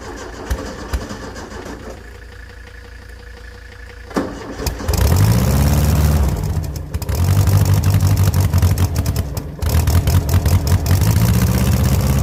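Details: 1970s Layton roller compactor, Ford Taunus 60-degree V4, fuel pump switched on, good battery: several bursts of steady cranking at about four pulses a second that never catch; crank no start from corroded ignition points.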